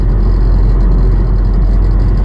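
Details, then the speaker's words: 2011 Nissan Rogue SL AWD 2.5 at 167,000 miles, driving at 40–45 mph with a deep constant jet-like rumble felt in the steering wheel, plus a squeak on take-off; worn staked driveshaft U-joints, later replaced. "So, that's the best I can do with the noise, but you can also feel it in the steering wheel. You can feel it in the whole car. It's just like a really fast rumble vibration sound."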